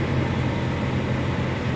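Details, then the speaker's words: Toyota Kijang Innova cold start, temperature gauge still at bottom: steady even engine hum held above 1000 rpm, no knocks or misses; normal cold fast idle that drops below 1000 rpm once warmed to mid-gauge. "suhu masih berada di bawah artinya suhu Masih dingin mesin Masih dingin dan RPM di atas 1000 ini rpm nya tinggi di atas 1000 ya"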